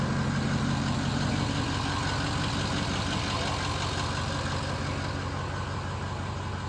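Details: Ford F250 6.0L Powerstroke diesel after cleaning sticking Garrett VGT turbo vanes/unison ring: steady, even idle with smooth low rumble, no knocks or irregular beats; runs and sounds good, normal idle, check-engine light on, maybe already present before.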